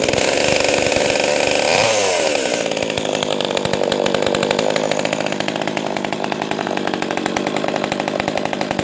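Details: Echo 280E small chainsaw, first startup after about 10 years unused: revs hard, then drops back to a deep, steady burbling idle without stalling or hunting; running healthy.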